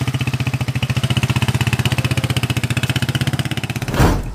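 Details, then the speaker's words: TMX155 single-cylinder motorcycle on a road test after replacing piston rings, valve seal, knuckle bearing and battery: a crisp, even beat at about four pulses a second with no knock or tick, running smooth. "Road test na lang ni brother dito. Yun o, napaka-smooth pa rin o."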